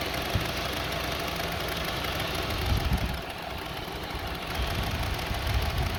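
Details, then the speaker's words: 2002 Honda CR-V 2.4 L with rough idle and hunting RPM; with the sensor plugged back in, the idle is uneven and loping with shudders, and the engine shakes. Cause not yet found. "See now, engine is shaking. See? Now remove it."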